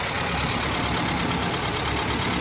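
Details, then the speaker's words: 1991 Mazda B2200 after converting from an in-tank electric to a mechanical fuel pump, fuel pressure about 4.5: steady, even idle with soft purring hum, no knocks or stumbles — normal idle. "burring like a kitten"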